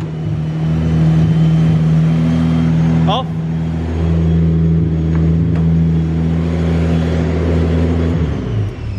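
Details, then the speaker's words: Datsun 280ZX turbo L28E six on new Haltech 550 ECU, first start, coolant filled, after timing adjustment: even, steady raised idle without stumbling; idle had been turned up because it wouldn't idle well, can now be turned back down. "that's that's better yeah she's idling high now so we turned the idle up a lot before because it wouldn't idle super well"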